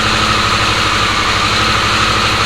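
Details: Harley-Davidson Sportster S, battery recharged after key-fob drain, started via key-fob code entry: steady, even idle with a smooth low thrum, no knocks, misses or rattles; normal idle.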